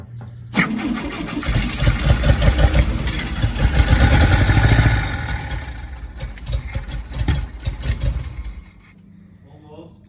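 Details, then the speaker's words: 1965 VW Beetle garage find on a fresh battery with about a gallon of gas added. Even cranking at about three turns a second; the engine spins freely but never fires because the fuel pump is not delivering gas. "it's not pumping any gas yet so we might have to do that a couple more times"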